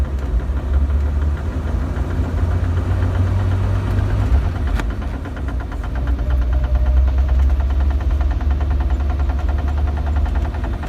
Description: 1997 Jeep TJ, 4.0L with 5peed manual. Started making a clicking sound after transfer case fluid change